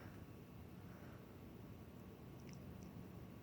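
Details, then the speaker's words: 1994 52-inch Hunter Studio Series ceiling fan on high speed, remote-controlled: steady even low whoosh with no ticks, wobble or hum changes; a pretty powerful fan running smoothly; a faint relay click is barely noticeable; normal operation. "They're a pretty powerful fan."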